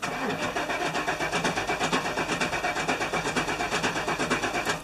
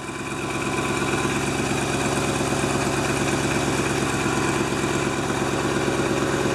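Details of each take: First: 1997 GMC Suburban, fuel pump fuse/relay pulled before fuel filter replacement at minus 5 degrees: steady, even crank at normal pace that never fires, confirming no fuel delivery; crank no start with fuel pump disabled, pressure released. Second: 1997 GMC Suburban engine at a smooth, even idle with a steady low hum and no misses, knocks or ticks after fuel filter and spark plug replacement; restarted after a few cranks with empty fuel lines, no leaks, running healthy.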